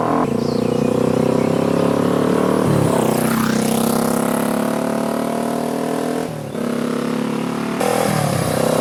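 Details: 1973 Honda CL350 twin, about 14,000 miles, on a ride after full servicing with new plugs and new mufflers: pulls cleanly, tone rising and falling smoothly with throttle, no knocks or misses; healthy normal running.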